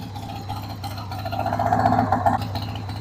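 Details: 1993 Harley-Davidson Sportster 883 Evo V-twin, sat about 15 years, running on a dead battery after starting spray: uneven, lumpy idle around 220 beats a minute that swells and wavers; rough idle, carb needs cleaning.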